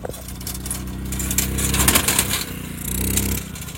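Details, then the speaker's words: Homemade race car with an old scooter engine, driving at steady throttle: small engine buzz with an irregular metallic clatter over it, caused by a loose iron strip fitted at the front rattling. "என்ன கொஞ்சம் கலவரம் sound வருது. என்னன்னா முன்னாடி ஒரு இரும்பு முன்னாடி ஒரு இரும்பு பட்டை வச்சிருக்கோம், அதுதான்."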